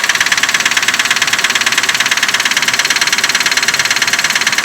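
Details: 2004 Nissan Pathfinder, 14,000 on the odometer, started after sitting about two hours, recorded under the hood: loud, very regular metallic ticking knock at idle, steady with engine speed; source uncertain.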